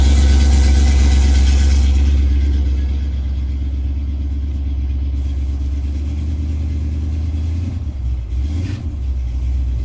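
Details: 1987 Chrysler Fifth Avenue, not run for about 6 months, just started cold in January on choke: steady low rumble easing as revs drop, then holding even with no misses or knocks. Normal cold idle.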